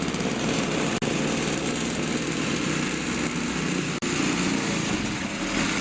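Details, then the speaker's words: Toro two-stroke snowthrower test run after replacing the carburetor diaphragm and rebuilding the carburetor; steady, even high buzz with no stumbling or surging; normal running. "I had to rip the carburetor apart numerous times but I finally got it so I've got it all back together and I'm going to give it a test run"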